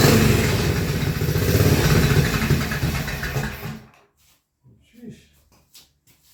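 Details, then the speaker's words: Frankenstein's Panther project motorcycle, carburetor on choke, newly fitted custom mufflers, running in an enclosed garage: deep even exhaust thump about four beats a second, steady until shut off; healthy and well muffled. "that sounds pretty darn good. And we're in in an enclosed building as well."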